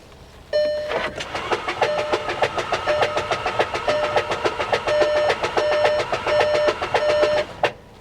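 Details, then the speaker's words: Start attempt on a keyless-start salvage-auction car listed for hail damage, key fob held next to the start point because of a no-key warning. Rapid even clicking, three or four per second, with a chime, no engine catching; something under it noisy. "That don't sound right. Yep. That don't sound right."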